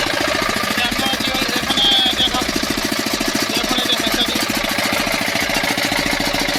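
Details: 5 hp single-cylinder diesel engine after tappet (valve clearance) setting: steady fast ticking beat over lumpy diesel note at constant speed, running evenly.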